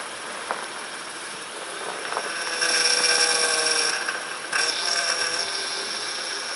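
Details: 2006 Honda Ridgeline RTL, engine started at idle right after a DIY power steering pump replacement: even, steady idle with only a soft pump hum and no groan or whine; steering turns easily, pump healthy.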